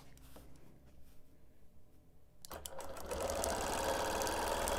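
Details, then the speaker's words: Quilting machine doing dot-to-dot ruler quilting with a ruler plate on a wholecloth baby quilt with no side clamps: a quiet start, then a steady, fast needle chatter at about four stitches a second. Normal stitching. "so here I am now quilting dot to Dot"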